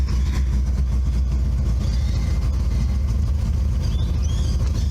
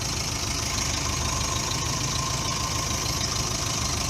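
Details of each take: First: Subaru Brumby 1.8 litre boxer, newly bought restoration project, temperature gauge not working: constant low, smooth rumble with no knocks, misses or squeals; engine running evenly. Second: Subaru Brumby 1.8 litre boxer, cold, barely run recently: ragged, loping idle about three beats per second, hunting as if struggling to stay running; rough cold idle.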